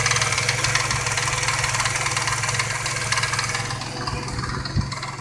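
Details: Truck with a light uneven tick about four per second over steady idle, half an hour after adding Marvel Mystery Oil; a friend suspects the lifters, and a slight tapping remains; cause not confirmed.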